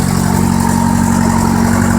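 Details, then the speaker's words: 1973 VW Thing flat-four parked since the early 1980s, gravity-fed fuel, no prime: steady even idle with smooth low thrum, no misses, knocks or ticks, no smoke; running healthy. "Good golly, Miss Molly, she's a running. Look at that. That is unbelievable. No smoke whatsoever."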